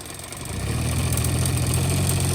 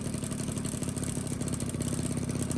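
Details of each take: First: 1985 Honda Spree scooter, carbs cleaned and swapped, straight fuel lines: at full throttle engine drones low and flat without climbing revs, bogging with no power; cause found as carbon-plugged muffler. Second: 1985 Honda Spree two-stroke scooter, after its carbon-plugged muffler was burned clean in a fire pit: a buzzy note climbs steadily with the throttle, runs clean without bogging, then cuts off.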